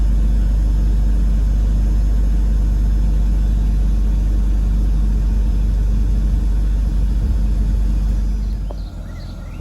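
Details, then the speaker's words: 2001 BMW 320Ci E46 coupe, under 46,000 miles, first start after 11 months in storage with battery refitted: smooth, even low idle hum, no misses or knocks; normal idle. "and she sounds beautiful hasn't missed a beat"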